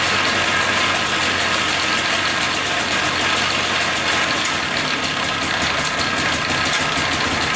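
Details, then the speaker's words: $250 Polaris Trail Boss 250 4x4 ATV, new starter, carburetor cleaned: busy raspy two-stroke idle with fast metallic rattle; loud noise at idle, owner suspects clutch misassembled or worn, unconfirmed. "all right so it's a lot quieter without the clutch so that's good um so i think the clutch was just maybe put on wrong or something i'm not sure maybe it's just really worn out"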